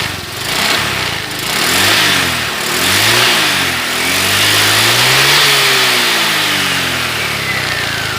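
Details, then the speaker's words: Honda Vario 125 LED scooter with overheating, engine previously rebuilt and oversized after oil starvation, revved while the radiator is refilled to purge air bubbles: pitch rises and falls cleanly with throttle, no knocks or misfires. Healthy revving. "tujuannya ini agar gelembung-gelembung udara itu bisa keluar"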